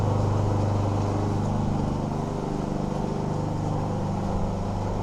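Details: Troy-Bilt self-propelled mower with Honda GCV160 engine, after warming up and draining excess oil: steady, even single-cylinder putter with a firm low note, no stumbling or cutting out; fix seems to have worked, normal running.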